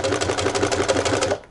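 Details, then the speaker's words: Sewing machine, after the thread take-up lever has run to its top position with the tension discs slackened, then the presser foot is lowered: it starts easily without help from the hand and stitches at a quick, even rhythm with no motor hum or straining. "теперь опускаем лапку и машину у нас даже без помощи руки будет стартовать легко"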